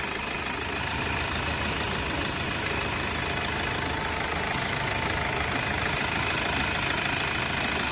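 A car engine idles evenly, with a steady hum and light valvetrain ticking but no chain rattle or slap.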